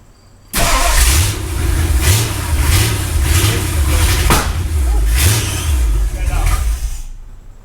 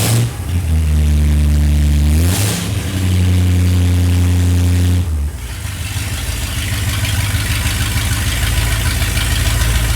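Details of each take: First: V8 in a Ford Galaxie 500, first start after restoration: starter churns in an uneven, labouring rhythm for several seconds without catching; ignition timing is off, distributor to be moved a tooth to advance it; no start from incorrect ignition timing. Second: Restored Ford Galaxie 500 V8 started after refitting to check for leaks; initial timing about 10 degrees; cranks, catches, steady low burble, smooth rev toward almost 3,000 rpm: normal start and revving.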